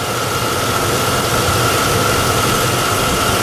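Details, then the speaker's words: Vortec engine with 343,843 km, air conditioning running and blowing cold: steady even idle with faint constant whine from the AC side; engine sounds healthy, normal idle. "it's got 343,843K on her, but seems to still run decently, you know, so what the heck for what I paid for her."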